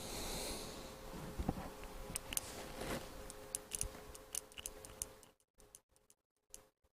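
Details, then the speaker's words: 24-volt relay, touched for a quick test: faint, uneven dry clicks as the coil pulls in but the contacts don't change over, possibly from insufficient power; relay clicking without switching, cause unconfirmed. "so you can hear that clicking so it is it is clicking but it's not switching the contacts over if you know what i mean"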